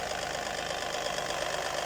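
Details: 1999 Lexus RX300 petrol V6 idling with a quick, even tapping knock through busy mechanical sound; knock seems to come from the cylinder head area and lessens as the engine warms.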